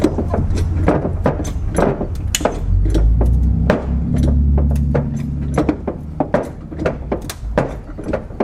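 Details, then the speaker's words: BMW frame damage pulled on a portable frame machine: sharp metallic pops several a second over a low hum as hydraulic pumping moves the frame back toward its original position, a good sign. "so you hear that popping okay that's good guys actually it's coming back to where it used to be"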